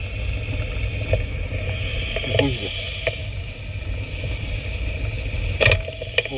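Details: 2015 Mercedes-Benz E-Class W212 on a test road with a chassis noise detector fitted: a few sharp knocks over road rumble following bumps, front driver side. The detector lights red, confirming the tension strut ball joint.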